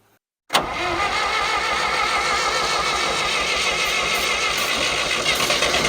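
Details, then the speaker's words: 1963-64 John Deere 1010W tractor, sat 18 years: steady starter churn with low chugging that never picks up; runs on ether but not pulling fuel, owner suspects a plug in the fuel system, carburetor to be removed. "I'm not pulling any fuel. I've got to find a way to pull some fuel."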